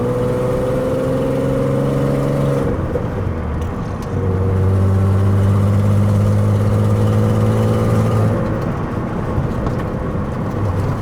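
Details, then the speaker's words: Peugeot 206 with swapped VR6 engine on first road test: raspy puffing exhaust note over the engine as the car pulls and shifts, possibly from a known exhaust leak; pump noise now gone, no clunks heard. "Le bruit il est bien sympa. Encore il y a la fuite d'échappement. Ouais, mais c'est peut-être pour ça que ça fait encore bruit sur un V8."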